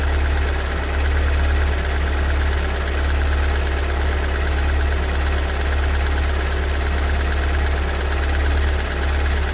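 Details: 2022 Kia Sorento MQ4 2.2 diesel at cold-start idle: deep, heavy drone with an uneven loud knocking pulse, still present after a month; Kia service says diagnostics show no errors and the engine is fine.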